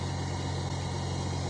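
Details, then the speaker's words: Engine on its first start after the spark plugs were installed, with lots of oil in the cylinders, little fuel and the exhaust pipe disconnected: it settles into a steady, even idle with a firm low hum and no misses or knocks. "Woo! She runs. >> Runs good. >> What do you think about that, Stephen? >> Sounds good. Runs good."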